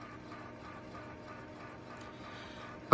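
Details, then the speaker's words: Compaq Portable 386/20 floppy drive failing to read any disk, even a known-good DOS 6.22 boot disk: quiet spin that swells and fades unevenly, then a sharp head clack; inconsistent, surging spindle speed, cause unclear. "the spin speed of the floppy drive seems really odd it's it's inconsistent it doesn't feel right it's like it's surging like an old car that needs a tune-up not a smooth steady spin"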